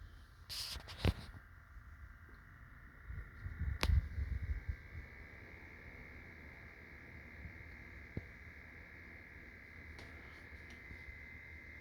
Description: one of my minisplits makes a ticking noise, this video is to help troubleshoot.